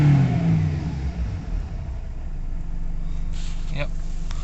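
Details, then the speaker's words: Nissan Navara D40 2.5 dCi diesel after codes cleared and engine light off, fuel pump issue suspected from tank contamination: revs up cleanly then settles into steady even drone, no hesitation; full revs restored. "So it looks like that's all sorted. We've got full revs."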